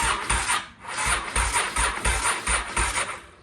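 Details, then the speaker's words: 1998 Honda Superhawk (Firestorm) that kept locking up, cranked on a weak battery: even cranking about three compressions a second, now turning freely instead of locking after two or three turns; cause still unknown. "and it's turning over a lot better than it was"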